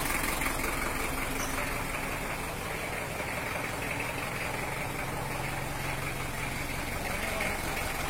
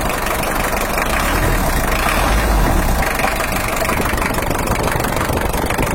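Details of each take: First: Toyota Hiace LH-11 diesel after repair of its broken injection-pump bracket, fitted with an injection pump 12: steady, even idle clatter with no misses, knocks or smoke. Normal, healthy idle. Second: Toyota Hiace LH-11 diesel, injection pump bracket mounting hole cracked because the rear bracket was too weak, oil pressure low: uneven, lumpy idle with a loose knocking beat about four a second as the shifting pump upsets injection timing.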